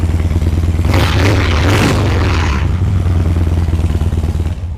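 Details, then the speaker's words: Harley-Davidson Dyna EFI after fuel pump, filters and components rebuild, first start after 9 years sitting: V-twin fires straight up into an even, lumpy idle, no misses or clatter; normal start and idle. "Look at this. 9 years sitting started like that."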